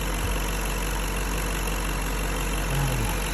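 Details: BMW M62B35 V8, fully warmed up, at idle after the same VANOS units were reinstalled with corrected timing. Smooth steady low idle with no shake, stumble or ticking. Normal idle; knock gone.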